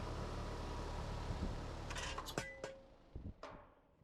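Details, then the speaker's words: Evergreen ECM condenser fan motor just installed; the homeowner had reported the old motor not turning, then turning very slowly. A steady airy whoosh with low hum, a few light clicks as it settles; it takes a second to start, then runs normally, expelling hot air. "I'm fired up look at that it takes a second to start up but uh after that it's working just fine now it's expelling the hot air"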